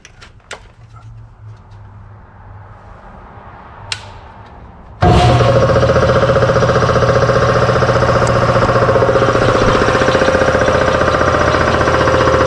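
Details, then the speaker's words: Newly installed shop air compressor, first run: kicks on abruptly with a loud, hard, even pounding clatter about three to four beats a second, steady throughout; it runs but the knocking noise is disliked, cause unclear. "yeah I definitely do not like that noise but it's running"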